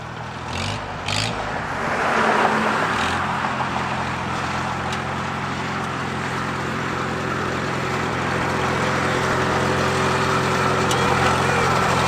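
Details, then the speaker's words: Revived Farmall H tractor running after a drive: a lumpy, choppy beat of about four a second with sharp spits and pops from the exhaust. The owner attributes the spitting to its lumpy cam. "how about that about a new favorite thing got a hog ass cam you hear that thing spitting"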